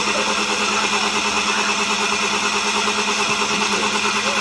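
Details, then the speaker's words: Spice grinder after disassembly, cleaning and reassembly: steady loud motor whir with even hum, no longer the earlier tornado-siren howl; running normally. "grinding y'all we're grinding"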